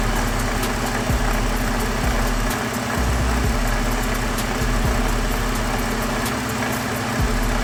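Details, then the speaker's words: 2013 Ford F-150 3.5 EcoBoost at idle: a light, uneven rattle from the front of the engine, first mistaken for the electric fans. The water pump wobbles with visible play and was dripping coolant, so its bearing is bad. "There we go, guys. I found a rattling sound. I thought it was the fans at first on this truck, but it seems to be the water fl Heat."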